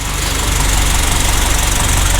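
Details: 2014 Honda Brio, 1.2 L four-cylinder L12 engine, after an oxygen sensor fault: loud, steady idle with even low pulses and no stumble; a healthy, settled idle.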